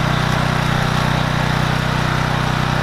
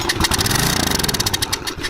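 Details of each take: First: Troy Bilt 2800 PSI pressure washer (model 020568), Briggs and Stratton engine, after carburetor bowl work for a no-start: starts and settles into a steady even putter, then winds down and stops; running properly, without water connected. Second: Troy Bilt 2800 PSI pressure washer (model 020568), Briggs and Stratton engine, won't start: with air filter off and carb cleaner sprayed in, it fires evenly for two seconds then dies; fuel starvation through the carburetor.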